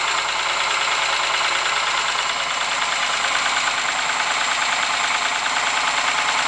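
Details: Ford Sierra engine at steady idle with a dull, somewhat uneven knock riding over the engine note; persistent internal knock, cause unclear.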